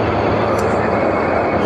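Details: Midea 30-ton R-410A package unit, two 15-ton systems, after condenser leak brazing and condenser discharge fan motor repair, just restarted and gas charging: even, steady roar of compressors and fan with no knocking, rattling or cycling; running normally.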